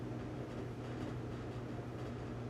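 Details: LG dryer on a preventive maintenance check, dry with the door open, rear heating element glowing at about 177–200 degrees: steady whoosh of air and low constant hum, no knocks or scraping; normal operation.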